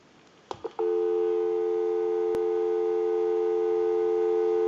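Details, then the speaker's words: A couple of hook clicks, then a clean, unbroken steady dial tone with no crackle or hum from an Automatic Electric rotary wall telephone on a live outside line during repair checkout, after ringing, dialing, transmit and receive passed; line and phone work properly. "and we can call a time and temp number. We'll go ahead and give you some dial tone."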